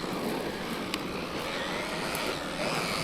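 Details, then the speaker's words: Traxxas Maxx V2 RC truck (VXL-6S system, run on 4S battery): steady rough rushing whir with gritty edge from drivetrain, not its normal sound, caused by bent chassis/bent centre drive shaft. "Isn't how they normally sound, it's because it's got that bent chassis."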